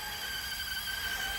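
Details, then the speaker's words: Toshiba KV-4000 V-Cord VCR reel motor: steady piercing single-pitch squeal; the owner suspects its 1 mm belt, which should be 2 mm, is slipping and can't transfer torque to the idler tire. "the squealing is just par like the belt slipping and all that"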